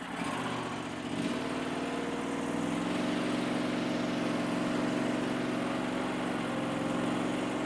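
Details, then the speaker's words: Powerease R740D twin-cylinder engine on a Chinese CRT-23 mini skid steer, after fixing fuel problems with an added fuel pump; steady, even putter at light throttle with no bogging, popping or surging; previously would pop and shut off. "It would just pop and shut off, and I don't know why low fuel causes it not to idle, but man, it just purrs right now. It idles so nice."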